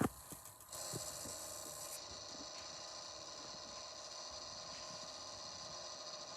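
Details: PC fan that has made this noise since new, often louder than heard here: quiet, uneven ratcheting clicks over a steady fan hiss, like a rubbing fan or a bearing starting to grind; owner blames the fan because the CPU area overheats quickly.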